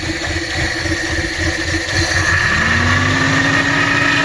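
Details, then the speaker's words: 1986 Subaru GL, revived after a decade sitting, after a drive: loud raspy exhaust over steady idle lifting slightly; muffler blown out. "it moves it stops it has brakes the mufflers blown out but it sounds pretty freakin badass"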